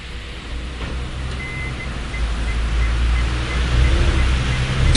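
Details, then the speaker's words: 2015 Hyundai Solaris 1.6 L 123 hp, 6-speed automatic, 65,000 km, brake held and throttle pressed sharply: a deep uneven rumble with rough knocking near the gearbox. After a deep snow rut, the engine mount contacts the bent skid plate as the engine tilts. "A может быть это когда двигатель наклоняется на определённой частоте чего-то касается надо на подъёмник стать"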